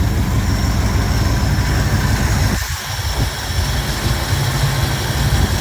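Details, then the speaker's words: Jeep J10 engine idling after idle speed and mixture screw adjustment: deep, steady idle with a low rumble and a brief dip. Noticeable engine vibration that eases when warm or at slightly higher idle. Normal idle. "and I also adjusted the idle and the idle mixture screws and everything is kind of where I want it to be now"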